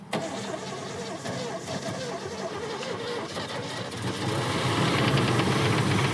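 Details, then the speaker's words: Old V8 in a wagon cranks and fires on old fuel in the tank, then a steady tapping knock about four per second over a rough idle that gets worse; engine knock, cause unconfirmed, engine swap expected. "It's knocking. >> We're good, dude. Let's just go. >> Just ignore the knock."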